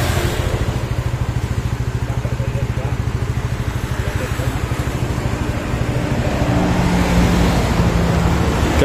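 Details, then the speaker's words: Yamaha Mio Sporty scooter after repair for lost compression (leaking valve or piston rings blamed): steady, even single-cylinder putter about three pulses a second, no misses or knocks; engine smooth, no smoke, stable idle, exhaust leaks. "ni nalpotnya bocor untuk mesinnya halus ya [Musik] ini sudahah engak ngebul dan juga ini stabil ya langsamnya kita mau coba"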